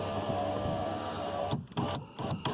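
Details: 2008 Chevrolet Impala, 250k miles, power window after window regulator replacement, motor bolted in and reconnected: even motor whir about 1.5 s, then clunks and clicks as the glass travels and stops; loud because the noise protector is off. Normal power window operation.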